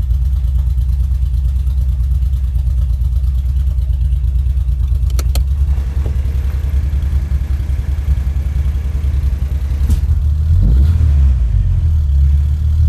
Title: 2.3t misfire